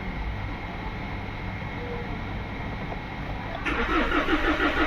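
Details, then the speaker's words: Mahindra Scorpio S9 BS-6 with DTCs P065100/P246300: the engine cranks steadily and the rpm reading rises, so the crank sensor works, but it never fires. Crank-no-start from a faulted sensor 5 V supply. "ये देखो। Cranking हो रहा है। RPM भी उठ रहा है। मतलब हमारा क्रैंक सेंसर भी बराबर काम कर रहा है।"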